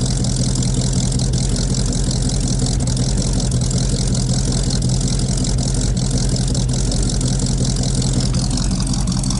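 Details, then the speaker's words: 1956 Buick 322 Nailhead V8 barn find, first start after fitting a battery: started right up, deep quiet steady idle with even low rumble and no knocks or misses; carburetor seems slightly unhappy but oil pressure good. "Oh, started right up. Oh, this thing's quiet. It's so quiet."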